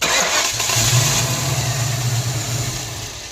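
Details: Newly bought project car with a hand-loose distributor and unknown timing, turned both ways while cranking: brief cranking, a quick catch, then it dies within seconds; getting occasional spark but stalls immediately.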